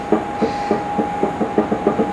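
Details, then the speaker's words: Nissan RB30 engine rebuild for a GQ Patrol: bare cylinder head set on the block without bolts shows light under it, giving hollow dull dunks about four or five a second as it rocks; the head and block deck aren't flat. "That's the head rocking. Hear the dunk dunk? There is nothing flat or true about this cylinder head or engine block, for the record."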